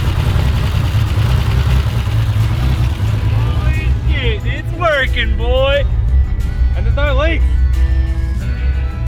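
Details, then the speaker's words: Turbo Ford Fairlane just after finishing a new boot-mounted fuel system, first start; deep steady rumble at idle, smooth and even with no misses and no leaks, running healthy. "well that's it god sounds good no leaks sounds sick in the boot"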